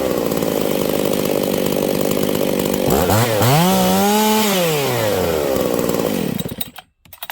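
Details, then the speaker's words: Husqvarna 272-type chainsaw: screams flat-out at a high steady pitch, then surges and cuts out, going lean even with the high jet turned out; lean running from an air leak at the crank seal behind the oil pump. "did you guys hear that this thing is going super lean okay I'm gonna turn this High jet out another quarter turn it should be way too rich right now but it's not"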